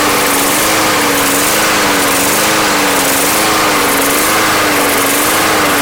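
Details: Barely used Yard Machines lawn mower bought not running, running after Seafoam was added to the fuel: high note rises and falls about once a second in a steady hunting surge, rough running likely fuel-related.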